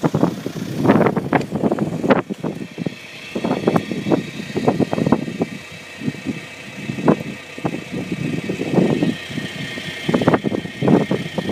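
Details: Skoda Octavia vRS PD170 TDI diesel on new recall injectors, cold starts at 3°C: clatter surging and sagging in irregular bursts instead of a steady beat; rough cold idle.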